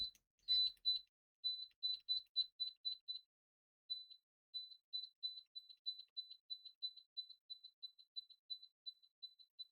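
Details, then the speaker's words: Siglent SDM3045X bench multimeter continuity test using cheap XZZ test leads instead of stock leads: crisp high-pitched beeps a few per second on each probe touch; clean, normal continuity response. "These are some XZZ leads, and these behave way better compared to the original ones."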